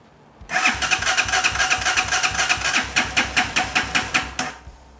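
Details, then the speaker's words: Carbureted Chinese Hawk 250 motorcycle, crashed and left sitting a year, had just been idling: the starter churns about four strokes a second for four seconds but the engine never fires; crank no start. "This is what it does, where it just likes to not turn on."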